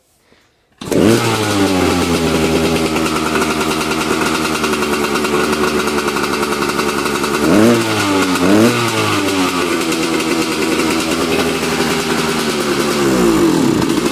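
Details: Yamaha YZ250 two-stroke, first cold start (about 42°F) after reassembly, choke off, throttle fixed: fires straight up into a crisp, buzzy idle with clean blips of revs that return promptly; normal running.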